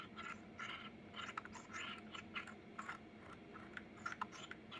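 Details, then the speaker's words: New Corsair K100 keyboard's scroll wheel turned in a quiet room; short dry, gritty, uneven scratching rasps with each turn, making it feel cheap; owner hopes it may go away with use, a scratchy scroll wheel. "just kind of makes it feel cheap. And this is not a cheap keyboard. For, you know, $250 with tax, I wish it didn't do that."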